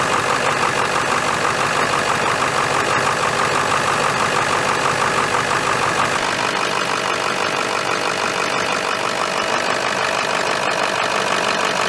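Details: 2001 Ford F-350 Dually 7.3 L diesel after replacing the high-pressure oil line feeding the fuel injectors, no oil leaking: steady idle with an even mid-pitched clatter, no misses or knocks; normal idle.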